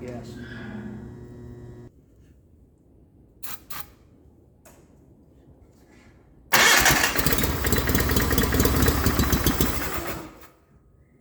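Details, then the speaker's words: 1989 John Deere 420 garden tractor on an auxiliary tank with ether: catches with a loud uneven burst, runs about four seconds, then quits after running out of fuel; owner suspects lost suction pressure through an open pump exit. "okay so it sounds like i'm losing pressure suction pressure through the pump that exit that's open"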